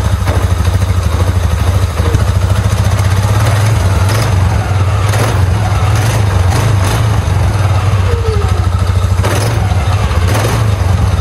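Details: 2009 Polaris Sportsman 550 XP, brought in for clunking and lurching in gear, after replacing a collapsed, soft clutch spring with a new, stiffer one: a steady low idle thrum with even pulses and no clatter or grinding. The drivetrain sounds smooth.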